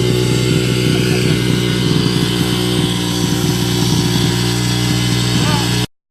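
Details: 2005 Yamaha 125cc dirt bike after fuel valve leak repair, short yard ride; idle piece broken, awaiting part: single cylinder pulls crisply and steadily, even firing, no misses or pops; runs clean.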